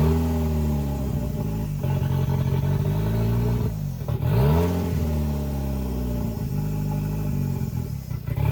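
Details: CA18DET-swapped JDM Mazda Miata, first start-up, filmed near the turbo: revs rise and sag repeatedly with throttle held open, unable to settle into steady idle on its own; cam adjustment planned next; rough idle.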